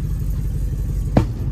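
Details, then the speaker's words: 1966 Chevrolet C10 LS swap with Craigslist mystery cam, untuned before HP Tuners: deep uneven lumpy idle with a sharp backfire pop, misfiring and running rough, smells rich; cause not confirmed. "yeah it's not running great I'm going to turn it off I really don't like like this"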